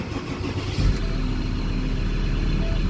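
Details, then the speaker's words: Ford Ranger 3.2 diesel that wouldn't start, now started after the fuel system was bled. Brief cranking, then it catches and settles into a low, slightly uneven idle, still knocking a little from air remaining in the fuel system. "Ito umandar yung makina. So muling nabuhay na guys yung engine."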